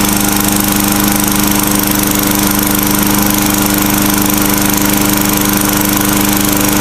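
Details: Tecumseh 4 hp 21-inch-cut lawnmower running after a cold start, oil not yet changed: loud, even single-cylinder drone with a fast steady beat, no misses or knocks; running fine.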